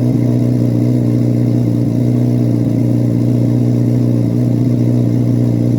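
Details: 2024 Carbon Flash Chevrolet C8 Corvette Z06 V8, cold start in a garage: steady high idle with a smooth, even burble and no knocks or ticks; normal, healthy engine warming up.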